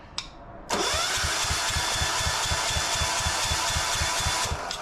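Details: Gravely C10A repowered with a 418cc Yanmar-clone diesel, cold start with compression release held and fuel system being primed: starter cranks at about four beats a second with a steady whir, but the engine never fires.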